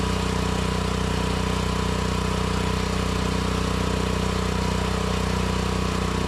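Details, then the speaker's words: Propane-run mini excavator engine after tri-fuel conversion (gasoline/propane/natural gas): fast steady beat with rough spitting and popping; smooth at high RPM when mixture screw turned in, spitting when turned out. Lean misfire from incorrect propane mixture. "I guess I was turning it out, started spitting and popping. Turned it in. Sounded real smooth at high RPM then all a sudden started spitting and popping as I continue"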